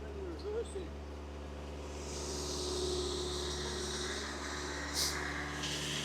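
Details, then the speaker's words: MK2 Golf GTI with freshly rebuilt engine, first drive; after a bit of load it idles steadily but too fast at about 2,000 rpm, cause unknown to owner, who plans to bring it back to about 1,000 rpm; high idle. "not sure why it's idling higher now after the engine's been under a bit of load um seems to be idling at 2,000 res now"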